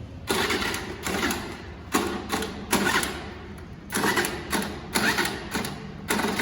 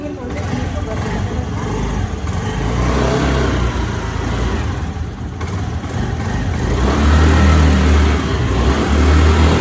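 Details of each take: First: Scooter that won't start: repeated short bursts of electric starter whirring, each stopping without the engine catching; starter cranking, no start. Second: Scooty scooter after a kick start: uneven petrol buzz that swells and drops as the throttle is blipped, with no knocks or rattles; normal revving.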